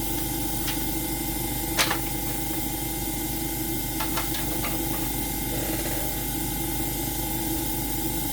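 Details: AromaO2 coin-operated oxygen concentrator switched on manually, before the oxygen test: the compressor gives a steady low hum with light clicks. It is running normally, and the unit is later shown producing about 30% oxygen.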